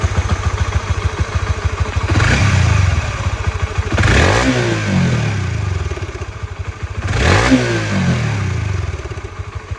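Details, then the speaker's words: Honda CB150X bought March 2022, about 3 years and over 60,000 km, original factory cam chain tensioner never opened, revved: rough uneven top-end clatter about three knocks a second over the exhaust; cause unclear. "Nah, itu guys, bunyinya khas banget, kelotok-kelotok guys. Untuk tensioner ini juga masih dari pabriknya, belum pernah bongkar ya guys ya."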